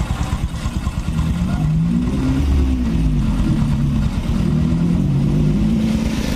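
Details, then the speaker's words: Honda Supra X 125 after engine repair, still smooth after riding: low, even exhaust note rising and settling through gentle revs without ticking or knocking; engine pulls smoothly. "ini kondisi mesinnya habis kita berserat berserat pun masih tetap halus ya"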